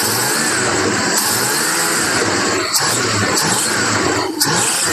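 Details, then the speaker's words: V8 idling steadily after sitting about two years (since 2019); owner first suspected a misfire, but it is not missing, with no dropouts or stumbles, just a rough-sounding old V8 after being tinkered back to running. "um but we she does run she's not missing and that's what I initially thought it was was a misfire or something like that"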